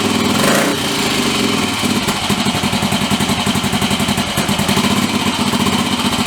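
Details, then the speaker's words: Small bike engine being upgraded, freshly started with petrol and choke on after refitting the orange tank: quick, lumpy popping idle; sounds a bit rich, owner says carb probably needs tuning. "Alright, here we go. Sounds like it's running a bit rich."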